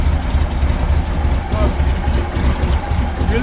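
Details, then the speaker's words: 1979 VW Super Beetle, fuel injection converted to EMPI carburetor, refitted original air cleaner: cold engine on choke, steady slightly fast low rumble with even beat, no knocks or misses; healthy, should smooth out once warm. "happy with that the joke is running right now as soon as the engine warms up it'll back off and it'll run a little smoother"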